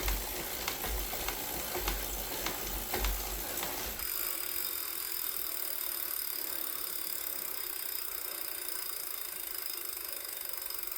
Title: Wahoo Kickr Core clicking noise